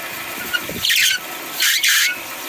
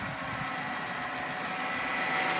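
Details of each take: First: 2008 Kia Spectra, engine running: loud high-pitched belt squeals in bursts each time the steering wheel is turned; the power steering belt is too loose and slipping, and the alternator belt also appears to slip; fix is belt adjustment. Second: 2008 Kia Spectra idling steadily while the wheel is turned, with no belt squeal after adjusting the misadjusted power steering/alternator belt tension; the loud squeak is fixed.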